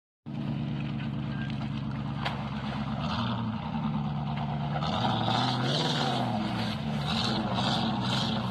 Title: the v8 misfiring ut still going.